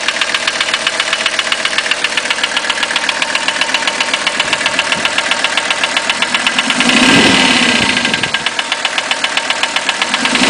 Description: My 1985 300TD with what sounds like a piston slap, but I do not think this is the problem.